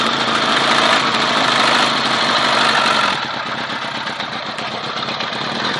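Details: Honda CBR 1000 motorcycle engine at idle with a small, light, fairly even ticking noise about four times a second; source of the noise unknown.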